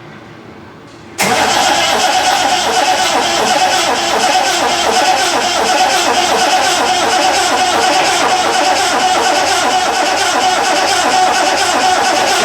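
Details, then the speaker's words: Triumph TR6 engine, first start attempt during restoration with no ignition lights: steady starter cranking at about three beats a second that never catches. It is unknown whether fuel is reaching the engine; cranks but won't start. "maybe that it's my wishful thinking but it almost seems like it wants to catch um or maybe I'm just wro"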